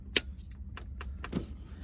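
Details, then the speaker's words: Reverse switch pin on the gear lever clicks sharply, then softly, as it leaves reverse and is slow to disengage; owner suspects grime and may try grease or WD-40; sticking reverse switch click. "and that pin is having a hard time disengaging let's see if i can get a clip of that doing it so over reverse and i bet it's just so much grime there's old such a sticking see it's just sticking there goes popping out"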